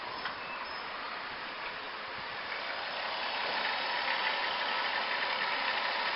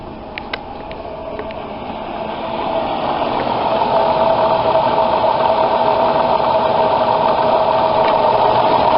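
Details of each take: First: 2003 van idling in reverse and drive after a new alternator, idler pulley and belt. It is quiet and even, with none of the ticking previously heard when selecting gear; the accessory drive sounds healthy. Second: 2003 van before repair, with a steady mid-pitched whine over the engine that grows louder as revs climb. The cause is a seized alternator decoupler pulley, fixed by fitting a new, higher-amperage alternator.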